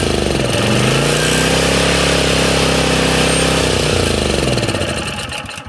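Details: Honda EZ1800 generator, cold start with choke on after a shot of carb cleaner: catches, runs unevenly a few seconds and dies; runs only on choke, fuel supply issue, clogged main jet suspected.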